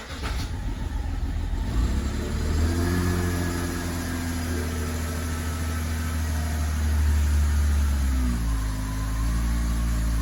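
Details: 2011 BMW X5 E70 with N55 engine, 109,000 mi, warm, after fuel injector replacement (P0306 cylinder 6 misfire, surging idle). Starts cleanly and settles into a smooth, steady idle with no stumble or surging; fault eliminated.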